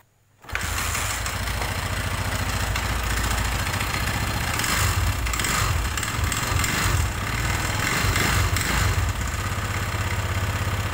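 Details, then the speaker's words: Honda MegaPro motorcycle engine running very rough, hard dry clattering rattle; suspected oil starvation from very low oil, also suspected piston damage, with valves and clutch housing under inspection. "nah seperti itulah tadi ya suaranya ya teman-teman itu sangat kering sekali dan atos kedengarannya Nah untuk dugaan sementara kita mau menduganya ya ini di bagian pelumasan ini enggak ada ya artinya olinya itu tinggal sedikit"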